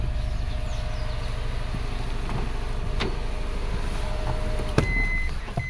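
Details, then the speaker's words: 2012 Subaru Forester SJ/SH, EJ255 turbo, idling with flashing check engine light after a blown oil hose; heard at the exhaust: lumpy puffs dropping a beat, a single-cylinder misfire. "The car is really missing. Let's go to the exhaust. Yeah, it feels like a single cylinder miss to me."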